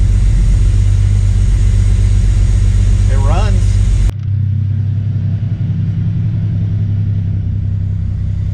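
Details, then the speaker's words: MK3 Toyota Supra after the Crispics igniter-ground mod and with the igniter now plugged in properly, previously not firing: low, even idle pulsing about four times a second and settling without stumbles, much smoother and calmer than before; ignition firing cleanly. "so it's definitely idling a lot smoother start it up really nice too it's calming down was an aggravated before it was very"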